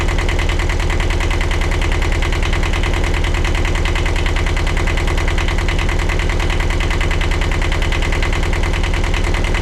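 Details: 1982 Catalina 30 sailboat diesel at steady, even idle with no knocks or misses, first start after replacing a blocked exhaust manifold, rebuilding the water pump and refitting thermostat, hoses and Aqua-Lift return line; runs healthy.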